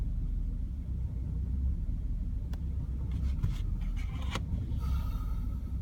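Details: BMW E60 530i, N53B30 engine: deep idle rumble with an unsteady, lumpy beat instead of a smooth run; rough idle, then check engine light (MIL) comes on.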